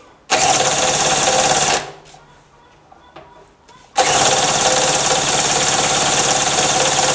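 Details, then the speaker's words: Harbor Freight mini generator, about 7–8 months old, stored with fuel valve open, spun by a drill, choked: two bursts of high-pitched cranking, no fire; has spark and fuel, spark plug flooded. "all right that's not working not even a kick I got sparked though and it's getting gas because the spark plug is flooded"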